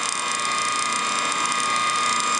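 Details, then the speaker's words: Antique ring-oiled Wagner 2hp electric motor from a 14-inch saw, runs well but one bearing is shot and gets too hot to touch, new bearing ordered; constant high whine with dry ratchety rattle as it spins. "It runs well. But this bearing is shot."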